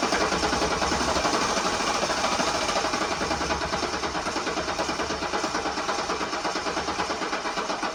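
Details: 1984 Mercedes-Benz 300SD diesel after getting fuel to the injectors, glow plugs possibly working, battery charging: steady cranking pulses about three a second that sag and die away; brief start then immediately quits.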